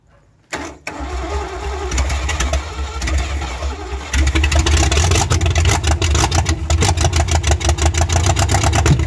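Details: Rover P6 3500S V8, cold, first start in 15 years with points cleaned and the coil and fuel pump hot-wired: cranks briefly, catches and settles into a steady, lumpy V8 idle with a clean, regular beat; starts and runs fine.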